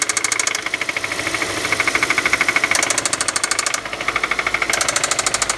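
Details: Engine at idle with spun rod bearing on cylinder 1: sharp metallic knock repeating steadily, roughly two or three per second.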